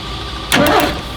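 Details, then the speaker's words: 1981 Ford F-150 with a 300 CID inline-six, during a mechanical fuel pump replacement, key turned only to bump the engine and set the cam lobe: a half-second starter whirr with a few compression pulses, engine not firing. "Okay, yeah. Reach in and turn the key. It won't start."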